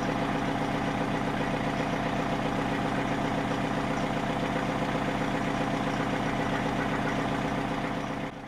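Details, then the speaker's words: Freightliner cabover with Detroit diesel, test start before completion: steady, fairly regular knock about four per second over idle clatter; possible rod or main bearing knock, not confirmed, oil pressure decent and later starts had no knock. "right here, if you listen close, the thing sounds like it's tying up a bearing."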